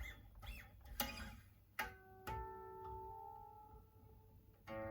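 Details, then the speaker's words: PRS Bernie Marsden SE guitar being tuned: plucked notes broken by sharp metallic pings on the higher strings as they bind in the nut slots; also unreleased string slack, causing poor tuning stability before an adjustable Tusq nut is fitted. "so 50 of it the nut which is binding i can hear it pinging on the higher strings"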